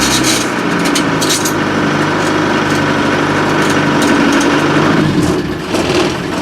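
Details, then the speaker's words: 1987 Land Rover Defender 90 running in forward gears: steady high screech from the transmission, absent in reverse, no clunk; owner wonders whether the gearbox has oil, cause unconfirmed. Transmission screech in forward gear. "That's unusual. Doesn't do it in reverse. Does it in forward gears?"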